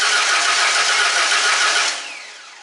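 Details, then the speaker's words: 2001 Ford Mustang V6 automatic after engine swap, new starter fitted: quick, even cranking with no catch or firing; plug wires far off, firing order being rechecked; crank no start from wrong firing order. "like I got through my wire so far off it's not hitting anywhere near it could be yeah all right let me recheck this uh firing order on here"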